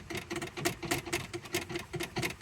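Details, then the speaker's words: 1971 Porsche 911 with 3.0L Turbo engine, engine off: light uneven clicks and taps about four or five per second from a wobbly accelerator pedal moving side to side, linkage rattling. "They got rattles all down the car, so that needs a bit of attention."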